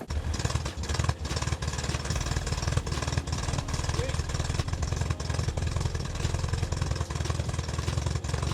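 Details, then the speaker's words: 1974 MGB after fixing the clutch master cylinder leak, fuel leaks and electrical problems: even, low, regular idle pulse with no misses, ticks or knocks; the engine runs great. "so that is awesome it is running great no more brake fluid leaks and you know with the clutch and everything no more fuel leaks no more electrical problems"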